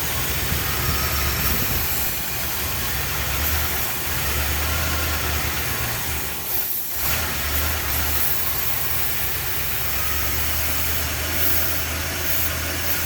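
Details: 1976 Chrysler Newport after about 8 years sitting, on a replacement battery, with fuel just starting to come through the line: steady, slightly busy idle holding evenly for over ten seconds without stalling or hunting; normal idle.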